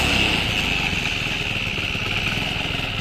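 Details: Motorcycle engine after rebuild, idling: fast regular metallic rattle keeping pace with engine speed, stops when clutch lever pulled; to be fixed from clutch side.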